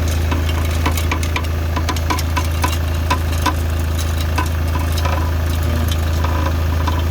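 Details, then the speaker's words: Steady low idle with irregular light rattling, about four a second, coming from around the engine/gearbox; a part is rattling about because its mounting is broken. "B it's just rattling about"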